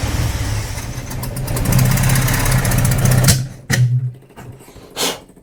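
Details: 45-year-old 2.8-litre Vauxhall Royale coupe, carburettor at baseline with idle mixture screws given an extra half turn richer: low, uneven idle surging and dipping, then stumbling bursts; rough running from over-rich idle mixture.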